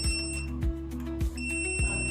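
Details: Rosefinch 6.0 kW drone tether power station on backup battery at 91% capacity with AC off: steady high beep tone, briefly broken about every 0.6 seconds, the alarm warning that there is no AC input.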